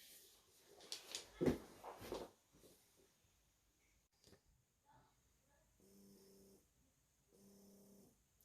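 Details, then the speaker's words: Eufy RoboVac 11 brush motor, which had caused four-beep stuck-brush errors, after treatment with gun conditioner and oil: runs in two short steady bursts with a smooth, even hum and no squeal, running like a champ. "and now if you see after i've put that gun conditioner on there and run some oil on it it runs like a champ that sounds great"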